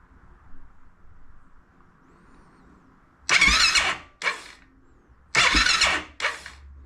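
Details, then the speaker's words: Honda TRX700XX ATV, fuel injector refitted after a fuel pressure doubt: two short cranking bursts each ending in a sharp spit and pop through the intake, never catching. No-start with backfire; owner suspects tight intake valves or timing. "you see that how it spits through there okay so she's still backfiring a little"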